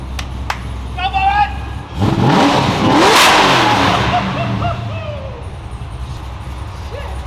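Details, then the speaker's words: Supercharged LS-swapped 1973 Chevy Caprice with new custom 3-inch stainless X-pipe exhaust and Stainless Bros mufflers, first start: deep V8 rumble swelling smoothly with revs and falling back, no rasp or ticking; healthy exhaust. "I can't wait to hear what these stainless bro mufflers rocking and rolling sound like, so let's get to it."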